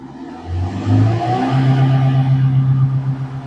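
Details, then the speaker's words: Perodua Myvi 3SZ engine revved to the floor but capped at about 4000 rpm, pitch hanging flat with a rough wobble and engine shaking; also won't rev with aircon on; spark plugs ruled out, faulty MAP sensor is the cause. "4.000 saja paling tinggi, betul? Ini masalahnya. Kita race macam mana pun 4.000 saja. Bergegar enjin."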